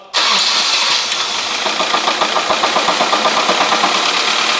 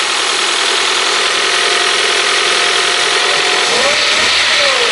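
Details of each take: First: 1998 Honda CR-V 2.0 petrol, 466,000 km, warm engine (~60–70°C), oil pressure 1.5–2 atm: quick regular metallic knock deep in the bottom end at startup over idle; teardown found main bearing knocking at the third journal. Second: 1998 Honda CR-V 2.0 petrol, 466,000 km, after crankshaft and bearing repair for a knock from a main bearing on the third journal. It idles evenly through two smooth rev rises and falls, with no tapping or knock. Normal idle.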